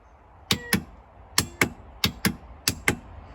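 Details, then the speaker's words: Used ATV winch with the key on: sharp paired relay clicks about every second, with no motor spin following. The relays work, so the problem is suspected to be in the winch motor itself. "the relays are working. So the problem is in the winch."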